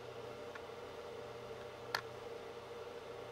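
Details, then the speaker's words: G-Tech GSpeed ES eSATA RAID array, not a brand-new unit, running while the Mac restarts after driver install: steady airy whoosh and low hum with faint clicks; cooling fan judged pretty noisy. "I actually call that noisy listen to it that to me is pretty noisy"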